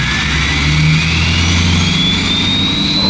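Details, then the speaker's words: 6.7L Powerstroke diesel with a newly installed, tuned KC Stage 2 turbo, revved after first start. A clear whistle climbs in pitch over the rumble. Normal turbo whistle. "Dude, I feel like I'm literally like a kid at a candy store right now with how good this sounds."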